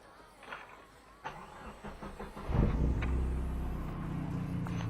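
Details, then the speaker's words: Opel Kadett GSI 2.0 16v with a newly fitted exhaust tip, started up; quiet, then catches into a low, uneven, wavering idle; owner says it is struggling to idle today for unknown reasons, a rough idle. "Yeah, so let's see if I can start it up for you guys. I don't know, for some reason today the car's struggling to idle."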